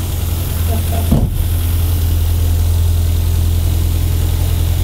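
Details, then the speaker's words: Renault Twingo 1 phase 2 small four-cylinder, bought broken with a reported turbo problem, first started. Low, even hum with a steady beat and no knocks or misses. Normal idle. "une horloge parfait. Riders on the stone. Parfait, hein ?"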